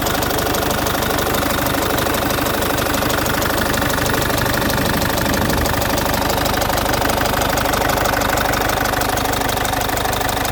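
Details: Citroen C5 2.0 HDi 100 kW diesel at idle: loud, sharp steady tick about three per second over the clatter; owner suspects the injector area, unsure. Injectors repaired, new piston rings, valves and valve seals about 15,000 km earlier.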